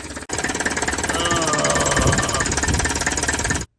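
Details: 1959 Plymouth taxi with Perkins P4C diesel just after a hard cold start: harsh, fast, hammering knock at three or four beats a second, rough diesel clatter; cause not yet identified.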